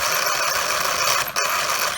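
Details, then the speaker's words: Traxxas Unlimited Desert Racer RC truck, after a turn and hard throttle off a cement driveway something snapped in the front end: harsh continuous ratcheting chatter while wheels are turned; broken or slipping front driveline part. "heard something snap in the front end here so here's what it's doing listen it makes a noise when i turn"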